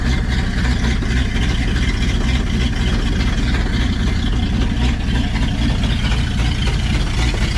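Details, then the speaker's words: 1952 Packard straight-8 327 idling with the exhaust down pipe removed, after exhaust blockage was cleared and a vacuum leak was plugged: a deep, loud, throbbing idle with a raw blatting note. "I just want to hear it again and it should be loud"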